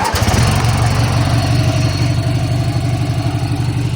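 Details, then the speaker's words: 1985 riding mower after idle speed adjustment, idle set a little higher; small single settles into a steady, even, slightly quicker idle, sounding a bit better than before. Normal idle. "all right guys so I just uh fixed the idle a little bit and uh I think it sounds just a little bit better just a little bit"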